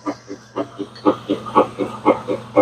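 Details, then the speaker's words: Whirlpool stacked washer agitating after replacing direct-drive transmission that leaked oil from a bad seal; soft rhythmic agitator swish, no grinding or knocking; brand new transmission nice and quiet, no oil drip. "That's the sound of a brand new transmission. Nice and quiet."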